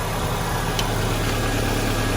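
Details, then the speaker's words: 2001 Saturn SC2 after the slave cylinder pin was removed from the transmission and exhaust work, restarted and warming: steady, even idle with a smooth low hum, no knocks or misses; normal idle. "got the berry into God has started today sounds good starts back up again and it's running really good it's not smoking"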